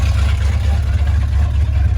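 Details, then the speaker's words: 1987 Ford Bronco XLT, cammed 351W with a Holley double-pumper carb and straight-piped true duals (no mufflers), after sitting all winter: loud deep rumble holding a fast, steady idle with no dip. High idle from untuned carburetor. "there's the high idle right there"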